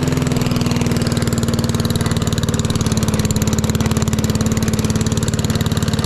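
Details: Lawn mower at idle, already hot, after fitting a $20 Amazon muffler: steady, even idle with regular soft exhaust pulses and no knocks or misses; healthy.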